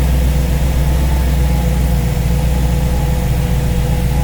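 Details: Small-block V8 idling after first start on a newly installed Ace's Killshot EFI throttle body with Blackjack distributor, while base timing is set to 15°; deep, steady burble with no misses or knocks, clean and smooth.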